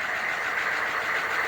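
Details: 1987 three-quarter ton 4WD Suburban, 6.2 L diesel with Banks Sidewinder turbo, after glow plug swap; started at 74°F on factory glow timer, afterglow hitting, no double cycle. Steady diesel clatter at even idle, no rough firing, no smoke.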